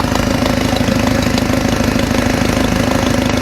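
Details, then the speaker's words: Mercedes W202 after stainless steel header install, idling: steady idle with a sharp puffing tick about twice a second in step with firing, still noisy but much better; exhaust leak suspected near header, possibly cracked gasket, not confirmed. "Still sounds noisy. That's not bad, it sounds way better. Alright. I can still hear the exhaust leak. Kind of still hear it."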